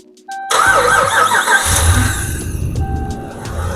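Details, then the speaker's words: Hemi engine freshly installed in a Ram truck with the lifter trick applied, mic by engine: cranks, catches quickly, settles into a smooth, quiet, even idle with no lifter tick; normal startup and idle. "Oh, yeah. Big difference. >> That [music] was awesome. Nice, quiet, smooth. That's great."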